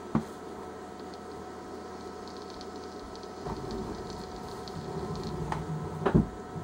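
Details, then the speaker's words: Image Volt X2 auto battery with CE/Nano clearomizer: a few sharp irregular pops, about four in seven seconds, while puffing, with juice coming up the tube; unclear whether coil is starving for juice or flooding. "Can you hear that popping this thing? It's I don't know if that's because it's starving for juice or if it's flooding or what."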